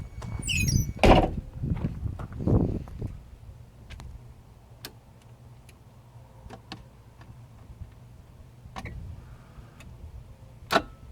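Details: BMW E21 320i that won't start (fuel pump runs, relay clicks, starter bumps once without cranking): after key off, the relay chatters with sparse, uneven sharp ticks every second or two; cause unknown.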